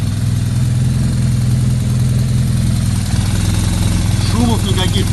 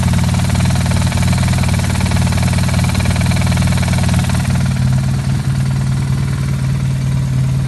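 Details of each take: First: 2009 BMW R1200R boxer twin after gearbox repair, new bearings, new clutch disc, splines lubricated and a fabricated damper fitted: steady, even low idle rumble with no rattle or knock over it; normal idle. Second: 2009 BMW R1200R boxer twin idling: loose, irregular knocking rattle from the gearbox that disappears with the clutch pulled in and returns when released.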